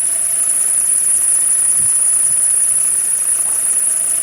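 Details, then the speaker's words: 2011 JAC J3 engine running: steady high-pitched squeal and faint whirring from the alternator belt area, caused by a worn intermediate (idler) pulley bearing, fixed by replacing the pulley (ref RT 4041). "galera estô aqui com esse Jaque J3 2011 estão ouvindo aí ó barulho na correia aqui"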